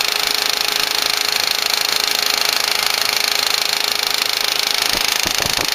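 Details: 2004 Volkswagen Passat 1.8T GLS: fast, even ticking, about three per second, close over the running engine from the rear of the engine; intermittent, worse at startup; some suspect a lifter, unconfirmed.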